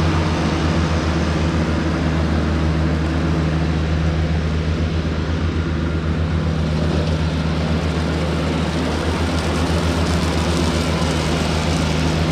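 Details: Cushman diesel front-deck mower, bought with a supposedly bad hydraulic pump, tires re-aired, mowing the yard: steady, even diesel drone with a smooth low beat under load, no knocks or misses; it mows nicely.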